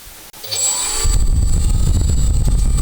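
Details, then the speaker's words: Leopard 2835 1350 kV brushless motor for Skylark S with prop fitted, watt meter test: high clean whine spools up fast and holds steady, no roughness; motor sounds healthy. "doesn't that already sound better? Sounds really good."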